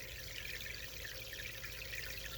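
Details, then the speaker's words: Delta 60 aquarium filter loaded with Biohome BioGravel during fishless cycling, microphone right next to the pump: soft, steady trickle and gentle water movement with no rattle or pump whine. The flow is normal and quiet. "fall one is moving nicely and quietly here right down next to the pump"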